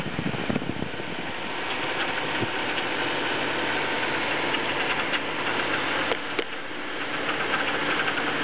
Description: engine m44b19 , cold start ,metal sound any idea what that could be ??? also rpm goes from 1000 to 1500 and drop to 1000 and again 1500,